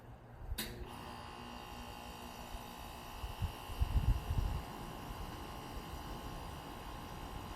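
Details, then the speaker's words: Steady low electrical hum under the outdoor unit noise from a Lennox AC unit installed the day before serving the ground floor; the compressor keeps buzzing, unlike the other quiet unit; cause unknown. "Hear that? The compressor just keeps on buzzing. The other unit does not do that."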